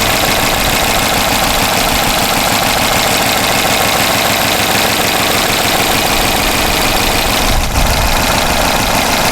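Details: Dodge Charger 5.7 L Hemi V8 with 253,000 miles, check-engine light for catalytic converter: steady idle with light fast ticking about three per second; possibly valvetrain or exhaust-leak tick, cause unconfirmed.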